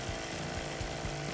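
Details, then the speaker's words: Maruyama MB228V two-stroke brushcutter, about 10 years old, revived after years unused, maintenance done incl. Walbro WYK carburetor and greasing, no blade fitted: runs evenly without bogging or sputter; normal running. "Động cơ quay êm, cảm giác rất tốt. Việc bảo dưỡng đã hoàn tất, và động cơ có vẻ hoạt động tốt."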